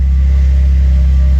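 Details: 1997 Jeep Wrangler TJ from salvage auction, found with no oil in crankcase, first start after fresh oil filter: deep, steady rumble at constant speed, no knocks or rattles; oil pressure shows on gauge, engine running normally.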